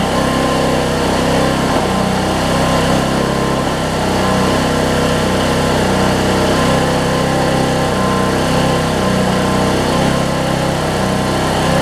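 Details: Weed Eater riding mower with 16.5 hp Briggs engine, 42-inch cut, six-speed, after fuel leak work and carburetor bowl refit; small single-cylinder engine running steadily at a fast, even speed with no misses or surging, back on fuel.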